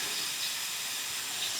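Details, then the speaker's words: Mitsubishi EVO after rebuild with idle hunting around 2000 rpm, engine off, intake pressure-tested as a sealed system from turbo through intercooler to cold-side piping: steady high-pitched hiss of escaping air; boost leak found. "so now we have a sealed system from the turbo through the intercooler and back up to the cold side piping here so at least we can test this apologies for the noise [Music] foreign we have found a leak"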